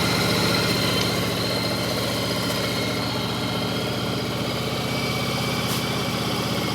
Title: Yamaha Virago 1100 start. Knocking sound.